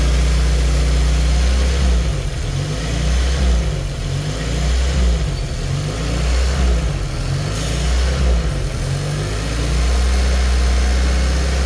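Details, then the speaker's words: Engine on a dyno at warm idle: idle rises and falls in a slow rhythmic surge; spraying carb cleaner at a vacuum leak makes the idle drop or stop surging. "once you hit a vacuum leak the idle is going to kick down and or stop surging which is what I'm going to show you"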